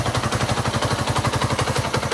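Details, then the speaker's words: 1998 Suzuki GN 125 single-cylinder, idling for its first 3-4 minutes after recommissioning with a new battery: quick, regular pops at around eight a second, evenly spaced with no skips, as it warms up; charging reads 13.2 V; normal idle. "Elle a démarré quasiment au quart de tour. Là, je l'ai fait tourner pendant 3-4 minutes."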